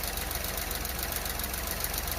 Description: This is a video showing the cold-start idle fluctuation and hesitation of my 2023 Renault Clio Evolution 1.0 TCe X-Tronic with 25,000 km.